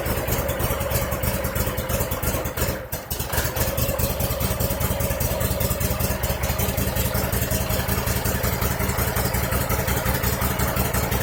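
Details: 2001 Cub Cadet 3184 tractor, Kohler CH18S 18 hp OHV engine, 848 hours, before tune-up: uneven, stumbling idle with irregular chuffs and a near stall; rough running, sounding fuel starved, possibly a clogged air or fuel filter.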